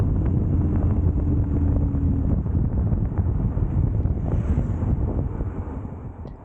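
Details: Custom Triumph Bonneville T100 with Down & Out drag pipes, riding: low steady twin grumble with wind rush, no pops or backfires; normal exhaust note, backfiring fixed.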